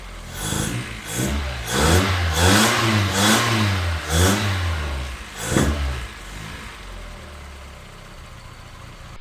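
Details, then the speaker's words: 1976 Toyota Celica RA23 four-cylinder that sat for years, rebuilt 5,000–10,000 km before storage. After the plug wires were corrected to 1-3-4-2 firing order, it catches, revs smoothly and settles to an even idle on all cylinders. "So let's try and fire it up now and see how we go. Well, that sounds much better. Yes!"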